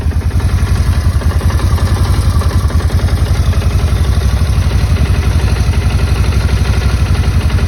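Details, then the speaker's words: Motorcycle idling after checking wiring terminals, with the owner worried about a loud fuel pump: steady, even low idle with light mechanical clatter and no audible fuel pump whine or buzz. Sounds healthy. "And I don't really even hear the fuel pump right now, so it sounds really good."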